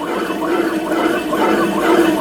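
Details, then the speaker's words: 2001 Polaris Xplorer 250 4x4 two-stroke ATV, seized and torn down: bare crank turned by hand gives a rough, grinding whine; rod bearing fine, crank seal possibly leaking; worn crankshaft main bearings. "are the crank bearings. They sound pretty loud, don't they? Should be a lot more smooth than that."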